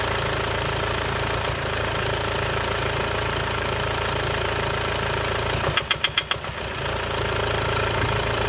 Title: Mercedes-Benz W204 220 CDI OM651 Geräusch Noise Klappern Motor unrund Injektor defekt